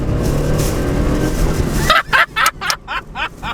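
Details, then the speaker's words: Honda Insight after repairing a broken transmission mount with windshield resin. It pulls hard in first gear near 4000 rpm and launches cleanly, without the earlier clunk on take-up: fixed. "oh my God all right well I guess that's totally fixed that worked like a that look like a charm there's no way that actually works that well"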